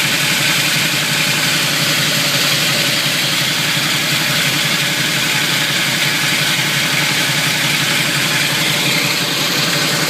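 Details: Camaro with grinding noise, steady and pulsing slightly, over low engine rumble when put into any gear, worse on slow take-off and gone past 20 mph; owner blames flywheel/torque converter area, starter tight, unconfirmed. Grinding in gear at low speed.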